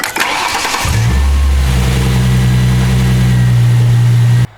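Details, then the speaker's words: 2007 Ford Mustang V6 after belt tensioner pulley assembly replacement (Gates): starter whirs, engine catches and settles into smooth even idle with no belt squeal; normal engine start without belt squeal. "right so as you guys can see there's no squeaking noises"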